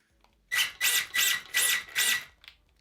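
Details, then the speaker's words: Electric RC buggy (Schumacher Cougar laydown or Cat L1 Evo) on carpet after slightly tightening the slipper: five quick bursts of high motor whine with hissy buzz, slipper still a bit too loose, warm. "That's probably a tiny bit too loose for me. This is probably a setting that you could run with, but it's probably for the easier to drive car."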